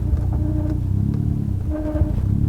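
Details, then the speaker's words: Stage 4 Ford Fiesta ST with TTV Racing clutch and flywheel, pulling away and reversing without throttle: low engine rumble with shuddering drone and brief squeals when clutch engagement slips; silent when the bite point is right. "If I go back hard and I don't get the engagement right, you'll hear more of that squeal."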